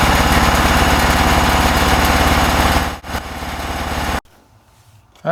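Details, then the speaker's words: John Deere lawn tractor after fixing a crank-no-start fuel delivery issue and reconnecting the fuel pump outlet to the carburetor, carburetor not yet cleaned: small engine thumps at a steady even beat about 3.5 per second with no stumbles, then shuts off; normal idle. "So, there you go. We got a running driving. Well, hopefully driving tractor, but at least I know it runs."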